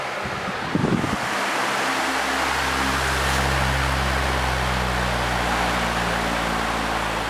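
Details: 1994 Lakewood HV18 fan, going up to high: spins up then settles into a steady even motor hum with low tone and airy rush, no ticks or rattles; healthy, quiet low and good speed difference.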